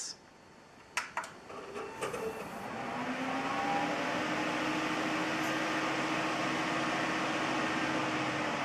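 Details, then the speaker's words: Newly built X79 PC at power-on: a few clicks, then a rising whoosh climbing for about two seconds and holding loud; the two radiator fans wired to the motherboard run at full speed at startup instead of about 50%. "so you heard that um he gets quite loud when you turn it on and I do not like that at all so the reason is doing it is the two fans that are attached to this radiator up here are connected to the motherboard and they are very loud fans"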